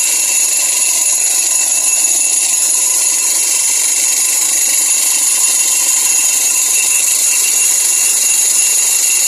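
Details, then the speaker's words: Sharp twin-tub washing machine dryer spinning: harsh high metallic chatter like metal on metal, from a loose brake pad rattling against the motor mount; before repair. "Pengeringnya suaranya berisik, suara cering cering cering cering seperti berbenturan antara besi dan besi."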